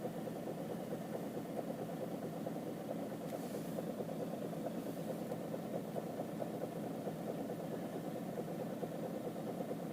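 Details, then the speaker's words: Citroen C5 2.0 HDi diesel at idle: intermittent floating knock that comes and goes, disappears with slight throttle and returns on release; owner suspects clogged injectors, unconfirmed. "у нее плавающий то есть ток ток ток ток ток то нету часто катит потом пропадает бог пропал опять начал чуть-чуть на газ нажимаешь о пропала отпускаешь опять появляется потом бывает плавает то стучит то не стучит так периодически наверное форсунки забитые"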